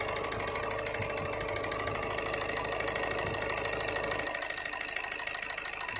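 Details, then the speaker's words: Skoda Rapid 1.6 TDI diesel with heavy vibration, knocking, check engine and glow plug lights; injector connector unplug test shows injectors 1 and 4 not working, confirmed by scanner codes: uneven lumpy idle with hard knocking clatter. Misfire from faulty injectors. "ये 4 number injector नहीं काम कर रहा है और ये 1 number injector काम नहीं कर रहा है। ये तो कंफर्म हो गया, ये दोनों इंजेक्टर काम नहीं कर रहे हैं।"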